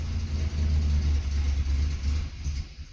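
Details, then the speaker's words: BMW E36 Compact 316i 1.9 with check-engine light, warm or cold alike: as throttle is released at low rpm it runs rough, stumbling with irregular misses and backfire-like pops, nearly dying; won't hold idle. "si lo vamos soltando más notamos cómo se va muriendo muriendo muriendo ahora estoy manteniendo el acelerador pisado vemos como falla mucho"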